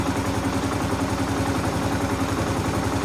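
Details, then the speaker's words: 2015 Kawasaki KLR 650 single, warm with hot pipe, after idle lever turned counterclockwise and choke adjusted; steady, even idle with no hunting or stumbles, smoothed out. "It has, I don't know if you can hear it, but it did smooth out."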